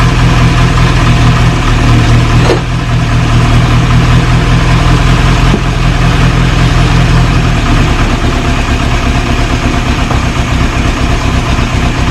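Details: 1937 Morris 8, 918cc pre-war engine, first start during recommissioning on choke with fuel added to resealed carburettor: steady low idle with even, slightly loping beat, no knocks or squeals; running cleanly, oil pressure rising to about 60-75 psi.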